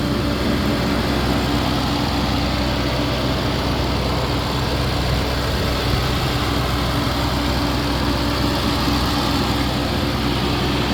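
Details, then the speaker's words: 2023 Audi RS7 idling during pre-purchase inspection, recorded underneath near the factory catalytic converters: steady smooth idle, even low rumble, fans all working, no knocks or ticks; engine sounds good, though oil is dark and due for change. "All the fans are working. Engine sounds good."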